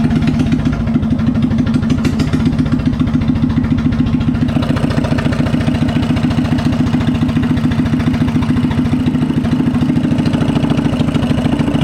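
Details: Coleman BT200X minibike after switching to an E3 spark plug to cure backfiring and no-start (old plug sparked intermittently): small single-cylinder thumps along at a fast, even beat with no pops or misses. Normal running.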